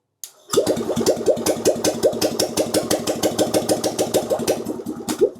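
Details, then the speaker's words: Steyr Puch engine, non-runner after years sitting, no fuel, run on brake cleaner with low jump pack and no choke: cranks and catches into sharp even pops for about five seconds, then dies; brief firing on starting fluid. "we have a bit of life. [Music] That sounded extremely promising."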